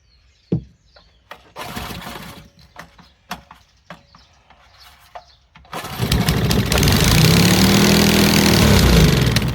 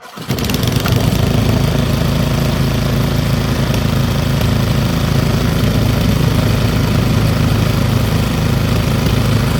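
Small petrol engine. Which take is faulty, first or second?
first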